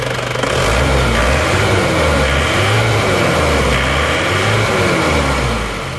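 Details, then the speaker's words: Isuzu Panther diesel after tune-up, valve adjustment and fuel filter replacement, in rain; revs cleanly through repeated blips with no stumble or stalling, steady idle between; previously shook and died when revved. "Kalau tadi digas gini langsung goyang-goyang terus mati. Sekarang sudah nggak lagi setelah kita ganti filter solar ini."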